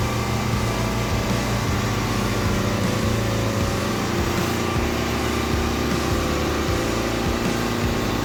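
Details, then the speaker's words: John Deere 70 skid steer in cold weather, after ignition rewiring with a starter button and fitting used rams: loud, steady engine drone at an even pace, no knocks or grinding; no leaks, running healthy. "well about time we got her all good she's nothing leaking uh she's ready to work"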